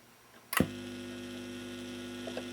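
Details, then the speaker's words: Lenco portable record player after fixing noisy drive wheel whose rubber had hardened against the metal wheel: switch click then low steady hum with faint tone, no rumble; much quieter than before. "That's pretty quiet. That is much quieter than it was."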